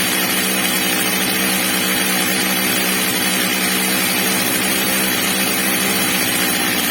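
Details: Old, well-worn Stihl MS230 chainsaw after fitting a new replacement carburettor, during its adjustment: high, buzzy two-stroke scream holding steady at high revs, no stumble or four-stroking, normal running.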